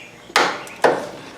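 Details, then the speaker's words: Cub Cadet ZT2 zero-turn mower, key switch lead unplugged, jumper from battery positive to starter solenoid tab: two sharp clicks about half a second apart, starter never turns; faulty starter solenoid, starter lockup also suspected. "And nothing. I can hear it clicking. I do hear the solenoid"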